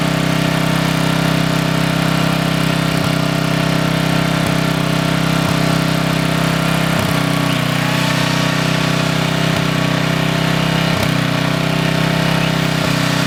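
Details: Coleman Maxa 5000 ER 5000 W generator after carburetor replacement: steady, even drone at constant speed with no misses, surging or knocks; settles in and runs smoothly for about 5 minutes.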